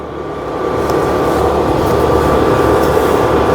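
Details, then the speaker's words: Induction cooker after switch-off: steady airy whoosh with faint hum as the internal fan keeps running to cool the coil, then stops automatically; normal fan run-on. "সু একটি শব্দ হয়। এর অর্থ হচ্ছে চুলাটি of হয়ে যাওয়ার পরেও এর ভিতরের যে ফ্যানটি রয়েছে এটি অটোমেটিক ঘুরতে থাকে।"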